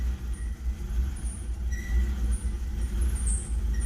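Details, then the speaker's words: 1994 Isuzu Rodeo at idle: the rumble rises and falls about once a second and the oil pressure gauge surges with rpm. Suspected of running lean; no check engine light, and it reportedly stabilizes as it runs longer. Idle surge. "so if i go in here and start it it's surging really good there"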